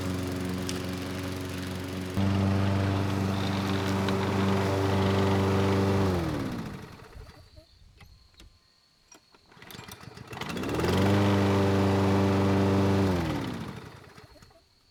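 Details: Craftsman lawn mower (model 917.374541) with Briggs & Stratton Quantum engine (128T02-1270-B1), curbside find revived with a new carburetor, two passes through three-month overgrown grass: steady running, settling between passes, no missing or bogging; normal running under load.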